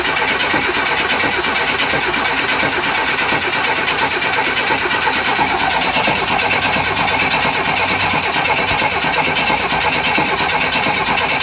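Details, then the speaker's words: 1963 Chevy Nova 194 inline-six after engine rebuild, first start, radiator and valve cover off: even, rhythmic starter cranking for over ten seconds without firing, pulling fuel to an empty carb and pre-lubing via the oil pump; normal. "So I'm going to have to crank it a bit to get the fuel up to the carb. The carb is completely empty, and that's just fine, because I'll give a chance for the oil pump to run and pre-lube the engine."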